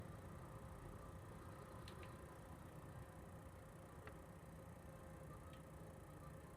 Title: PS4 fan noise